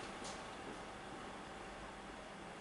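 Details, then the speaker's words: HP ProBook 6460b laptop fan after cleaning: quiet, even airy whir with a faint steady hum, constant calm sound with no more friction; fan previously loud, now running normally. "sind konstante ruhiges geräusch sicher da jetzt kein reibungskräfte mehr an den ja"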